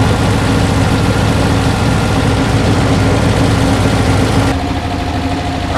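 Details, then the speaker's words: 1968 Porsche 912 flat-four, revival service: loud idle with lumpy, uneven beat that wanders and won't settle; rough hunting idle, cause not pinned down, timing to be checked with timing gun next. "you can hear, she's still a little rocky. Jumping around a little more than I like."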